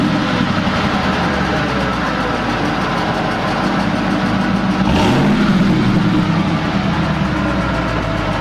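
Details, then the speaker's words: Ford SVT Lightning pickup V8 running after start-up; slight lifter noise heard at first start has since gone away; deep, even burble with a small throttle blip and no valvetrain ticking, normal running. "Had a little bit of a lifter noise when we fired it up, but that's since gone away. It sounds good. It does sound good."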